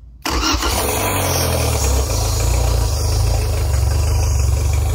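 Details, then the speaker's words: Yamaha F90 outboard, first start after milled head and new head gasket, valves adjusted 0.20/0.30 mm, 10W-30 oil, ethanol-free fuel, water pump impeller still needed: cranks briefly, catches and settles into steady even idle; normal start and idle. "it starts right up and uh throttle [Music] very happy with this motor"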